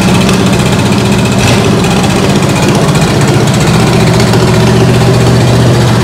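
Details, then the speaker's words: Ford 8BA flathead V8 (1949–53), bought painted off Marketplace, with a suspected fuel pump diaphragm/top-cap leak: fast, busy idle with a steady rumble that never dips or settles; carburetor suspected. "Idled so high. That carburetor is weird."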